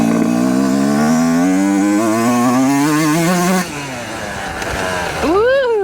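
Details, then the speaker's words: Yamaha YZ125 two-stroke after jetting changes, air screw at 1.5 turns, ridden just above idle in second and third gear, then a throttle blip. Revs climb cleanly with no bogging or sputtering; running clean. "No bogging, no sputtering. This thing is running pretty clean now."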